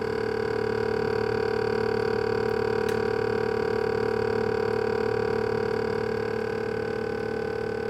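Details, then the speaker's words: GE Profile PSS26SGRC refrigerator: loud steady droning hum with pulsing beat two to three times a second from freezer side; owner suspects the fan, not confirmed. "As you can see, my fridge is emitting a very loud noise from the freezer side. It appears to be the fan, but if you've experienced this problem or if you have knowledge on how to solve this problem, I would love to hear your ideas and suggestions."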